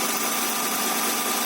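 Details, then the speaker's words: Honda Accord V6, first start after the engine was reinstalled with new oil seals including the rear main seal: an even, steady idle with no knocks, ticks or misses. A check-engine light flashed, then went out. It sounds good, with some minor oil leaking still seen. "so let's go see what's happening on the engine side so there it is the engine is running right now"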